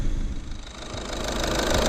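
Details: Diesel Skoda Octavia after replacing the faulty injector behind code P0201 and misfire: even idle clatter, rising slightly and holding steady with no stumble or missed beat; the engine now runs healthy.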